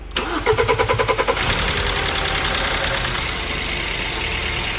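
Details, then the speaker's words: BMW E87 N43B20 2.0 petrol, 133,269 km, just after timing chain and faulty tensioner replacement: quick rapid chain clatter for about a second on start-up, then steady even idle; fuel system noticeably loud. "poklepał poklepał i przestało danemu jeszcze chodzi na wolnych obrotach ale układ paliwowy strasznie głośny sobie pochodzi"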